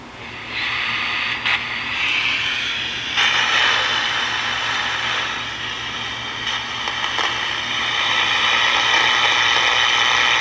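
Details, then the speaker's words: Vintage Strauss 5-transistor AM pocket radio with a good 9.4 V battery, before restoration: only steady hiss and crackles, not even picking up a running test transmitter. Noise rises when a hand nears the antenna; bad capacitors suspected. No reception. "it's not picking up anything it's not even picking up my test transmitter which is running"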